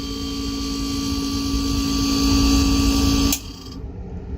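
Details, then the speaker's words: Refrigerator not cooling: fan runs, compressor hums about three to five seconds, then a sharp click/pop and it cuts out; short-cycling traced to failed compressor start relay or capacitor. "so you could hear that tick that comes on for five seconds and ticks off it's not kicking on"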